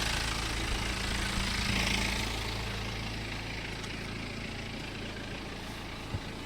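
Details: BMW N47 20d 177 PS diesel at idle, May 2020, about 30,000 km after a January 2019 timing chain replacement, same phone as before: smooth, even low beat with no clacking, rattling or scraping from the chain end; healthy.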